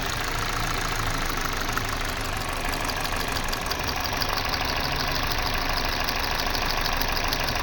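Engine idling with an uneven, lumpy beat and irregular ticking over the steady run, consistent with a misfire at idle.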